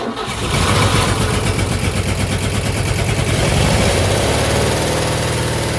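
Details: 1963 Chevrolet C10 with a Stovebolt straight-six that has two dead cylinders, run 10 minutes on only cylinders 1, 2 and 6 after an oil soak. It fires up, then runs lumpy and uneven with a stumbling beat: running on three cylinders.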